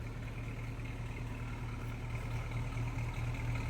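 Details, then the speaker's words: 1953 Packard Clipper, 288ci straight-eight with two-speed automatic, idling just after a cold start around 30s°F with a little steam: soft, even low hum with a steady unhurried beat and no knocks or misses, smooth as silk. "it's probably in the 30s here so you'll see a little steam coming out of it but it's just smooth as silk"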